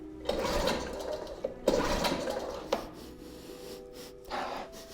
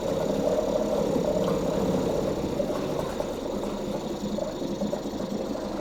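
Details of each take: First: 2004 Mercury 2.5 hp two-stroke outboard, unwinterized after six months' storage, choke on: four rope pulls, each a quick whirring rush with no firing; kill switch lanyard keeps sliding off, not fully seated. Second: 2004 Mercury 2.5 hp two-stroke outboard, not winterized and sitting 6 months, started about first pull on choke; steady, busy two-stroke buzz without misses, easing slightly after a few seconds as choke is reduced; normal running on choke.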